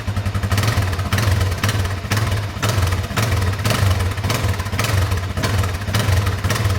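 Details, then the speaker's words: Newly bought DRZ400 single that runs great otherwise but knocks only on throttle blips from idle. Blipped about twice a second, with a rattly clatter on each rev rise; cause not found, and the owner may open the clutch cover to look for something loose. "I'm going to contact some DRZ buddies see if they have a similar issue similar noise and I mean maybe I'll tear into the clutch cover see if there's anything loose"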